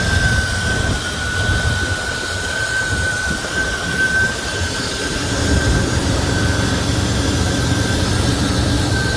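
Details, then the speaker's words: Buick Grand National with a 37-year-old turbo engine, new turbo and hotwire, freshly upgraded and tuned: deep, steady idle rumble with a faint constant whistle on top, smooth with no knocks or misses; normal healthy idle. "Love how it sounds, man."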